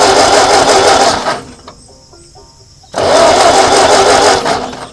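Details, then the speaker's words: 1939 Ford tractor that sat in a field 20+ years gives two long bursts of starter cranking without catching; owner suspects it is flooded from too much hand-poured gas. Long cranking without starting. "probably got too much gas in there because I poured so much in so it's gonna have to turn over a little while before"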